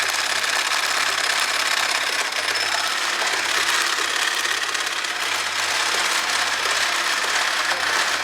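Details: Toyota 5A-FE engine running: fast, fairly steady mechanical tapping knock in upper range with loss of pull; owner suspects tensioner roller or timing belt jumped a tooth after frost, unconfirmed.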